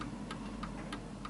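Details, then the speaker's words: 1940s Hermle (FHS) 8-day chiming pendulum clock on a purposely off-centre surface, after adjusting the beat to the pendulum swing: crisp, evenly spaced ticks about three per second, back to normal and in beat. "that the ticking is back to normal this is a very easy way of doing it"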